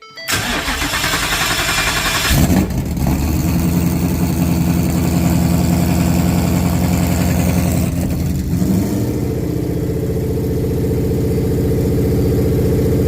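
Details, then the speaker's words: Used 5.0 Coyote V8 crate engine with 71,000 hard-driven miles, for a 1966 F100, first start: short crank, clean catch and rev, settling into even, steady idle; valvetrain sounds good; normal start and idle. "It sounds really good. I got to admit that the valves sound amazing."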